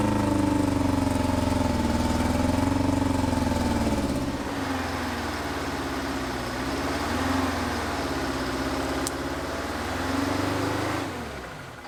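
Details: 1970s Insley H800 excavator's Detroit two-stroke diesel, freed from seizure after 25+ years sitting, started without ether: steady drone with even beat sagging and recovering under load, no knocks. Normal running.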